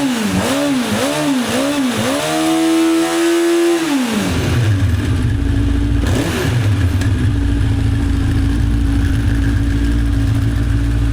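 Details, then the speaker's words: 1985 Honda CB1100F four stored about 20 years, after carb clean and fresh fuel, air filter refitted: quick blips rise and fall cleanly, then settles to a steady, even idle; much better with filter in. "With the air filter in, it's much better."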